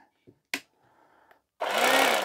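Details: Salvaged electric knife from e-waste, tested after refitting a blade that fell off: a few clicks, then steady even motor hum at constant pitch, no rattle or grinding; running normally.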